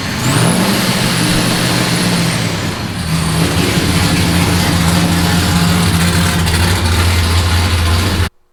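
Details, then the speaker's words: Nissan S15 with new exhaust just installed, started and revved to hear the exhaust: fires up and revs cleanly, pitch climbing and settling smoothly with a deep, even note and no rattles; normal running. "The exhaust is in the car, and I just want to see what it sounds like."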